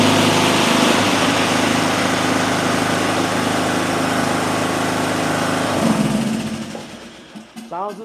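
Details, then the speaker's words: Small mower engine with ignition coil air gap at 0.035 in versus the recommended 0.010: steady, even buzz at constant speed before shutting down, no misfire or hunting; runs normally. "same. Looks like that coil gap doesn't matter at all."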